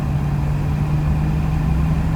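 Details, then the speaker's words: BMW E30 325e automatic in sport mode, floored from a dead stop, shifting into second up to 50–60: flat low drone barely rising, engine bogging and slow to pull; owner wonders if spark plugs and wires would help. "dead stop and i'm gonna floor it come on come on go whoop second oh man it's blogging come on come on"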